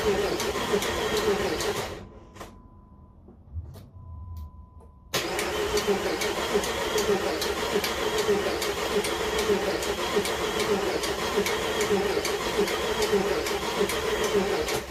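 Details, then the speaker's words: Jeep engine just reinstalled with new connecting rod bearings, cranked in bursts with injector fuse out to build oil pressure after fresh oil fill: light fairly regular tick about four a second over cranking; owner wonders what is ticking, cause unknown. "Something's ticking. Wonder what that noise is already. It's turned over for a bit. It should have some oil in it."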